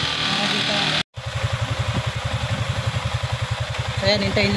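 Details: Yamaha Sniper 155 after fitting an SCK big radiator: steady single-cylinder idle pulsing near four beats a second, even and clean, with the ECU-triggered radiator fan joining in late; running normally.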